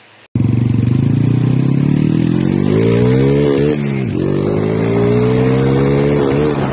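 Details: Yamaha T50 two-stroke bored to 80cc then 51mm, with tuned carburettor and exhaust: crisp buzz climbs through the revs, dips briefly on a shift, then pulls cleanly. It is healthy and strong-running.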